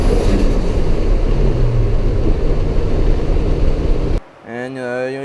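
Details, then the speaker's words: Knock-off 50mm Tial-style blow-off valve from eBay, running about 20 psi boost with a heavier spring: loud rushing whoosh of dumped boost for about four seconds, then a short fluttering tail; vents cleanly, no boost leak. "should be able to hear that it works pretty well I was running about 20 psi with it there is no boost leak"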